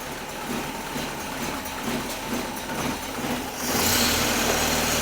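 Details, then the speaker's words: Freshly rebuilt Land Rover 2.25 petrol engine on first start: uneven lumpy idle with a ragged stumbling beat, then the note jumps and roughens; ignition timing way off. "And our timing is way off. Way off."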